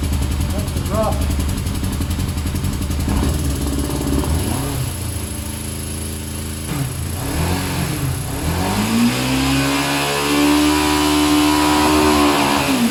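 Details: A 1990 Yamaha FZR600 barn find, cold on choke on its third start attempt, hunts and stumbles with revs surging and sagging instead of settling to a steady idle; running rough.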